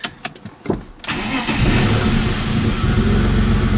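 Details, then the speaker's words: 1999 BMW E46 328i with random misfire codes, suspected valve cover issue, codes cleared: brief cranking, then a lumpy, uneven idle with stumbles and a weird noise, possibly transmission. Still misfiring; runs rough. "still has a little bit of a misfire yeah definitely runs rough"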